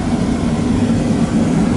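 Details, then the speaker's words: Boiler burner firing after 40-gallon Megastor storage tank replacement, firing through blue wire calling zone one; steady even low roar, no surging, burner and circulator running normally; circulator starts after about 90-second zone valve delay. "Goes the burner. It's firing through this blue wire. Zone one. It's calling for this zone one."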